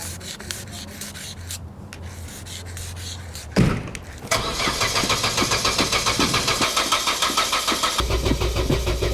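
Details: Old Opel Corsa with starting problems: starter churns at a steady rhythm of about three and a half beats a second for several seconds with pedal pumping, but the engine never catches; cranks but will not start.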